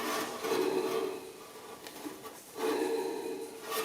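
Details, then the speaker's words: Taiwanese pedestal drill press with No. 2 Morse taper, bought around 1994: runs with rough, rasping growl that surges and fades; worn spindle and motor bearings heard, needs work. "Number 2 Morse taper, but it's in serious need of a bit of work now. You can hear the bearings in there and the bearings in the motor,"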